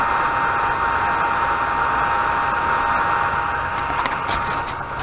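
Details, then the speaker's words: Anycubic Chiron 3D printer with replaced PSU fan, fans at 100%: steady even whir with faint constant tone, no rattle or grinding; fans running normally. "those three fans are the only noise out here now and that's just because it's dead silent in here"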